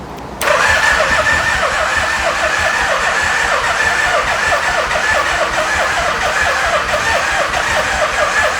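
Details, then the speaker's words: Barn-find Yamaha Vmax, not run in years, on starting fluid with no throttle: the starter turns over in a slow, even chug of about five to six beats a second with no catch; slow cranking from a weak battery. "I don't know how much power we got on this battery. It's cranking so slow."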